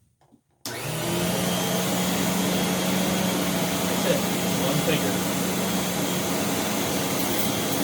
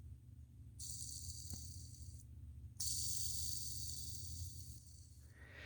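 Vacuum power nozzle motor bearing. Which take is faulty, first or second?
second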